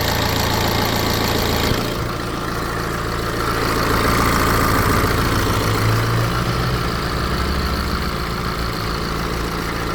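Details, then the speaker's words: BMW 320d N47 diesel, 181,000 miles, cold start after sitting over 24 hours following upper timing chain tensioner replacement: brief quieter rattle of about 1–2 seconds, shorter than before, then even steady idle. "So, I don't know if you could hear then, but it definitely sounds like the rattle is almost completely gone. I heard it for about one one and a half two seconds maybe maximum, but it wasn't as loud as before and it certainly wasn't as long as before."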